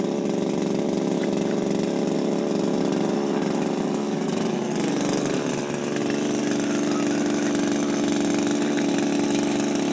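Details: Refurbished Shindaiwa power broom with new carburetor, gaskets, carb screws and recoil, no air filter fitted: small two-stroke buzzing at steady speed with an even, clean note, no misfire or rattle. Running properly after the rebuild.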